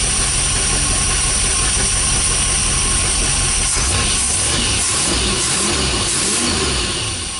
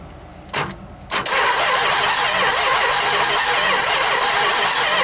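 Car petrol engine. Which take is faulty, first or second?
second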